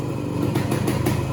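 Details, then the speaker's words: 1969 Yamaha AT1 Enduro two-stroke, 3500 miles, carb cleaned, Autolube pump bled and calibrated: crisp regular popping at about 1500 rpm idle, Yamaha spec, barely any smoke; normal idle. "1500 rpm idle which is about what yamaha specifies it should be at barely any spoon coming out of that"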